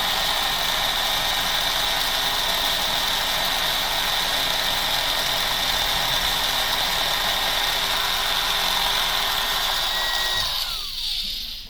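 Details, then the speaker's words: Motor on a break-in setup after pinion replacement and top plate tightening, drawing about 0.06 A: steady high whir with fast, slightly uneven rattle about four per second and a slight bounce; guide roller noise, not gear noise. "And this thing has a little bit of a bounce and a little bit of noise to it. That's what you're hearing, is the roller noise, not gear noise."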